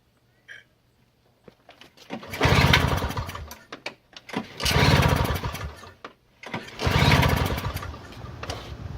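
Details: Toro CCR2000 single-stage snowblower, 2-stroke 4.5 hp Suzuki engine with Mikuni carb, 50:1 fuel mix, primed and choked: three rough pull-start cranks that die without catching; cranks but won't start.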